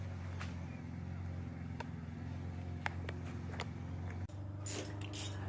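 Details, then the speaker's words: Turbo LS/VTEC Honda engine build cranked by jumping the starter with spark plugs out to prime oil: even, steady starter whirr with no compression pulses; oil pressure starting to rise, normal. "everything's primed starting to get oil pressure so that's a good sign it's telling me all's going throughout the whole system"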